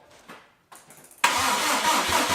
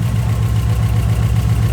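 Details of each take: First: Subaru Impreza with freshly rebuilt engine on EJ207 block, cranking to build oil pressure after extra charging and a jumper: sluggish, uneven cranking about two turns a second that labours and fades; weak battery. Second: Subaru Impreza with freshly rebuilt engine on EJ207 block, first start, possible vacuum leak noted: steady, even low idle with a smooth regular pulse and no knocks or misses; runs happy and healthy.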